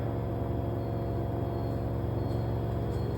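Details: LG front-load washing machine (3 kg, 1400 rpm), microphone held close to the machine: smooth, even low hum with steady pitch and no knocks or rubbing; normal high-speed spin.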